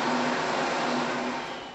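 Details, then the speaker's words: Open compressed-air cooling nozzles on a production machine, where turbulent air knocked components out about every ten minutes: loud, steady broadband hiss with a faint tone near 230 Hz; laminar-flow air-entraining nozzles cut noise by 12 dBA and air use by 20%. "we've got a lot of turbulent air and so on so it stops the machine there to go fix it logo put enclosure around but we twisted laminar flow kinda and training nozzles and stop the components jumping out and reduce the noise by 12 DB a"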